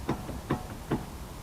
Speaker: зазор Я уже сразу ВИУ у меня зазор в подшипниках передней ступицы надо регулировать